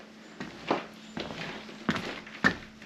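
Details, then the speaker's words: 2023 Ford Transit Extended van floor, half-inch pink foam board glued under 3/4-inch plywood: each footstep gives a dull thud and short creak as the foam creaks after the adhesive dried. Occurs only in some areas. "So now when you walk in here, I don't know if you can hear that. Basically, you can hear the foam creaking,"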